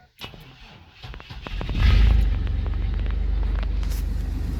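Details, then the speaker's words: 1999 Chevy S10 4.3L V6, 236,000 miles, unstarted for a couple weeks; cold crank/no-start fixed by new distributor cap and rotor after intake gasket and coil didn't help: cranks briefly, catches cleanly, steady even idle; normal cold start. "she fired right up hear it anyways so try doing the cap and rotor first um that seemed to be what worked for me"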